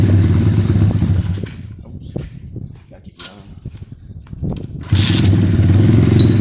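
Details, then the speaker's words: 2013 SSR 110cc full-manual single-cylinder pit bike after a valve adjustment (one adjuster had no locknut and 30+ thou clearance): a crisp idle that dips then returns strong and even, with no valve tapping now. The idle runs rich and smoky. "I'm gonna have him start it up right now so you guys can kind of hear it nice there you guys can see it pull out that pipe it's on pretty gnarly"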